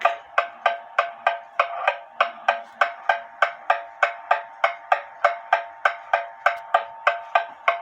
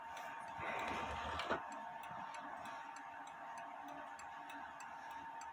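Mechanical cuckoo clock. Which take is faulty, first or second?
first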